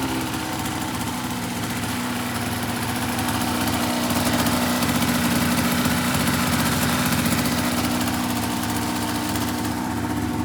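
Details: 2004 RMK 800 two-stroke sled with SOP exhaust, Boyesen reeds; steady even burble at constant idle speed, no misses, knocks or hunting; healthy idle.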